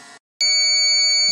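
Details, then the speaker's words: Low-battery alarm on a Xantrex Jazz 300C 18Ah jumper pack: loud, continuous, steady high-pitched screech after 2 hours 14 minutes running a four-foot shop light through its built-in 300 W inverter, cooling fan on. "we now have a large loud screeching alarm coming out yeah two hours and 14 minutes"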